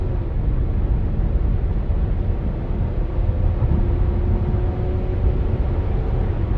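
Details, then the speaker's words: 2010 Lincoln MKX all-wheel drive, 210,000 miles, non-CVT automatic, accelerating hard downhill from inside the cabin: low even drone under road and wind noise, pitch climbing smoothly through the shifts into overdrive, no ticks, lifter or rod noise; healthy engine. "So, and I tried to be quiet there so you could hear it. No ticks, no lifter noise, no rod noise."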